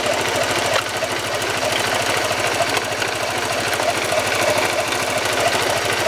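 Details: Honda CBR motorcycle engine, worst on cold starts: rapid metallic knocking, about three a second, over a harsh rumble; a broken bearing inside the engine, also causing clutch housing noise, fixed by engine overhaul.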